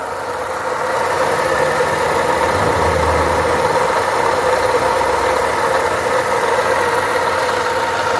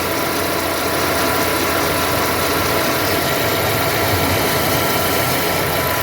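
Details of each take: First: 2011 Ford Ka Zetec at idle: constant rattly rumble and gravelly whir unchanged with speed, traced to a worn water pump bearing with play. Water pump bearing noise. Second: 2011 Ford Ka Zetec after replacing the water pump (the old one had a broken impeller and heavy play), coolant added and fan running: even, steady idle with a light hiss and no rattle; normal idle.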